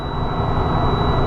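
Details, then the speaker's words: Truck, diesel idling, brought to about 1500 rpm (rpm gauge broken) to build air; a steady high-pitched warning tone sounds because primary or secondary air pressure is below 60 psi; low air pressure buzzer. "You can hear the beeping. That's the audible alert to let you know that it's below 60 psi in primary and secondary, either or."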